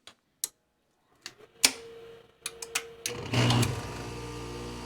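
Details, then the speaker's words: Home AC/heat pump compressor starting with a SoftStart Home (6-ton): a few relay clicks, a brief surge, then a steady low hum; smooth start. "Let's see what happens. Wow, that was smooth."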